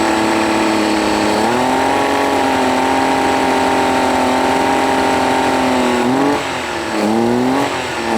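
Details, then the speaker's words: Honda BF40 outboard on a 14 ft boat, after head gasket replacement, test run: idles fine but revs sag and waver under throttle; fuel starvation suspected, later cured by cleaning carb jets, replacing o-rings and adjusting. "so what I think is really the way it sounds like that the motor is starving for fuel it sounds okay if or as long as runs in idle"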